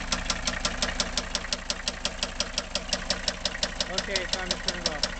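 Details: Mercedes W123 300TD wagon, OM617.952 turbo diesel, warm, glow plugs disconnected: sharp even metallic knock about three per second over steady idle; rod bearings' hard surface worn through, confirmed on teardown.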